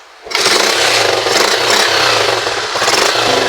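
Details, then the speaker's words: Rusi 125 motorcycle after repairing a noisy, ticking engine head: kick-starts and catches at once, then a steady even single-cylinder beat with no tapping from the head; the ticking is gone. "Okay na. At nawala na yung kanyang lagic mga kaya ganun lang mag-ayos ng ating mga motor kapag medyo maingay yung kanyang head."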